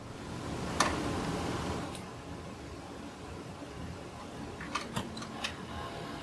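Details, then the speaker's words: 30-year-old Marantz CC-52 5-disc CD changer won't read discs: quiet motor whir and clicks as the turntable keeps rotating and hunting for the disc, cycle repeating; stretched laser-lift drive belt, fixed by replacing the belt. "And then the turntable continues to turn. You can hear it trying to find the disc. It can't find it. And this cycle just repeats."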